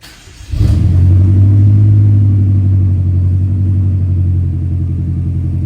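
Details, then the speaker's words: 2013 BMW M5 that sometimes would not start, after fuel pump control module replacement: starts promptly and settles into a deep, even rumble with a steady idle and no misses. "as you can see the car stays on nice and smooth just yelling at me to set the time and date right now because I didn't set it once I disconnected the battery so my car is working"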